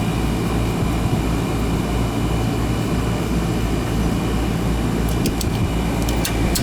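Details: Newer Ruud AC condenser, installed about 2020, not cooling until a loose wire connection was fixed, capacitor good: steady even low hum with constant fan rush, no cycling, rattle or buzz; normal condenser running.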